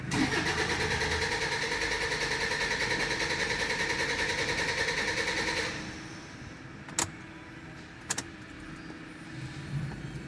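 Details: Toyota Hilux 3.0 diesel (2013) runs with a loud, buzzy, pulsing clatter that then drops away: a misfire traced by scanner diagnosis to a faulty injector, which was then replaced.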